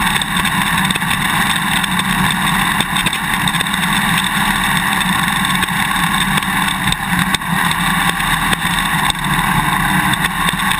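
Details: GoPro Hero 2 mounted on a dirt bike swingarm while riding: sharp irregular clicks over the revving engine and wind, from the quick-release buckle vibrating in its mounting bracket. Tape between bracket and buckle eliminates it; straws seem to work as well. Action camera mount rattle.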